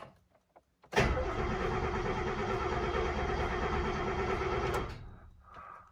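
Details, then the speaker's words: Freshly rebuilt Mercedes 300SEL 6.3 V8 cranking with all 8 plugs in and no fuel pump fitted: strong, even cranking about three beats a second for four seconds with steady compression pulses, no firing; healthy compression. "So without further ado, let's see what a brand new rebuilt 6.3 sounds like cranking."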